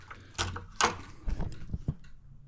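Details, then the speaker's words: Razor C35 SLA electric scooter: loose hollow clunks and rattles as the stem is rocked; play in the folding mechanism in the headset, fixed by adjusting the set screws and bumper; loose folding stem play. "So, you can see how loose this is. All that noise."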